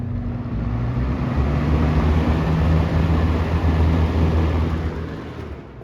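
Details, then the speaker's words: 1981 Lakewood K-223 fan: the motor runs slowly for no known reason and smells burnt, like mac and cheese, so the owner thinks it needs a motor clean-out. It spins up with a low, uneven hum and sags sluggishly. Slow-running motor. "this is just running slowly for no reason"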